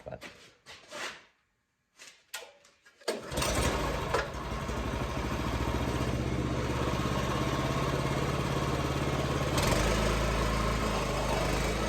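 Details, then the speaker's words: MTD rear tine tiller after conversion from Briggs & Stratton 8 HP to Honda 11 HP GX340: after a few pulls it fires and settles into a steady, even single-cylinder chug with no knocking or bracket rubbing. Normal start and idle. "so there you go my MTD rear time tiller we're finished the conversion from uh Briggs and Stratton eight horse to a Honda 11 horse it absolutely starts and runs great super happy with that"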